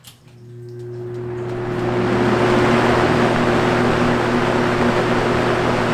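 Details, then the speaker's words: Vintage Toastmaster box fan, probably 1970s, at startup: steady low electrical hum from switch-on with rising air rush as blades spin up; the fan shakes noticeably, cause unconfirmed. "Anyways, here I'll start it up and you get to hear the motor buzz. Well, it just has this hum on startup, so here it is."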